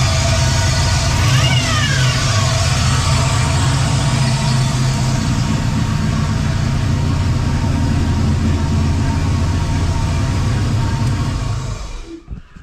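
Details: 4L80E transmission with no forward or reverse gears, fluid level correct, worsening; engine at steady idle with a faint thin whine over it from the gearbox, owner suspects the pump rather than a clogged filter, not confirmed.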